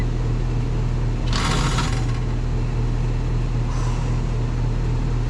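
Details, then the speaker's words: Third callback on an outdoor HVAC unit, shot in snow, after heat-strip power and a stuck contactor were fixed: loud heavy low hum with uneven rumbling surges; runs rough, suspected internal mechanical failure. "I got to say that sounds rough like like something um ain't work like there a mechanical failure or something"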